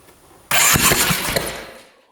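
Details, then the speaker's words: 2010 Polaris Sportsman 550 EFI ATV, spark test with a new BKR5E plug beside the cylinder: sudden loud whoomp and sharp pops on the start attempt as spark likely ignited fuel from the cylinder, shooting flames; backfire. "Whoa. Shot flames right at me. That was bad. I think it ignited the gas that was in there."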